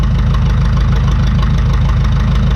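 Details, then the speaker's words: 1952 McCormick Super WD-6 tractor, diesel started on gasoline then switched to diesel, sat for 10 years; steady even thumping idle, no misses, RPM picking up a little as it warms up; normal idle warming up. "okay you hear that change in the and the sound of it the RPM picked up a little bit"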